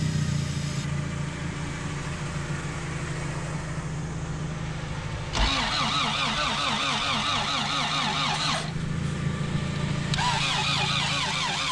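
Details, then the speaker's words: Honda CRX with B18 engine, sitting about two years, plugs cleaned, injectors disconnected, running on starting fluid only: slow cranking for several seconds, then it fires into a rough, rising run; alternator pulley is seized and burned the belts; hard starting. "all right so we got it started and I just found out that the alternator is completely seized up the pulley isn't going"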